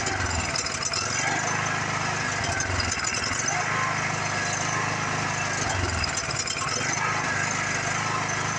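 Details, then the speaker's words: Craftsman riding mower single-cylinder engine after sitting for years, first runs after repair: smooth even run with no knock, miss or surging, smoking has stopped, not hard to start; healthy engine. "I did see it stop smoking the engine sounds healthy no Notch no flatter no nothing like that it's not even hard to start like some of these rigs are"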